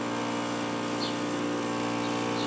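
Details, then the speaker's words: Vintage Kenmore dehumidifier with Embraco reciprocating compressor and Emerson fan motor: compressor hums steadily with faint refrigerant hiss but no fan airflow. The fan is extremely hard to turn, a seized fan motor; the unit is also low on refrigerant. "I got the cover off and yeah this fan is extremely hard to turn so that's probably why it's not working"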